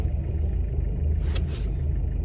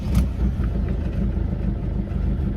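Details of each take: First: Mk6 Ford Fiesta 1.6 TDCi at idle after cable-tying a boost hose away from the crash can: smooth, even low diesel rumble with no tinny rattle; the rattle is gone, not fixed by the engine mount replacement. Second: Mk6 Ford Fiesta 1.6 TDCi at idle, heard in the cabin after replacing the engine mount: low diesel idle with a faint buzzing rattle still present; mount not the cause; a rubbing boost hose bracket is chattering.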